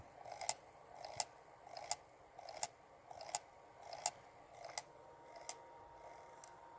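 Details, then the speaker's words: Original PlayStation 1 with a disc loaded: quiet, sharp clicks repeating about 85 times a minute with no steady spin-up; the disc drive keeps retrying and struggles to read the disc. "see if we could i mean it's struggling you can hear it"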